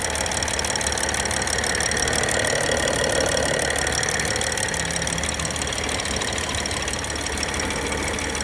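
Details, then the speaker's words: BMW N55 engine cold at idle: steady light knock, roughly three per second, seemingly coming from the cylinder head; cause unclear; cold start knock. "откуда-то стук идет в головку."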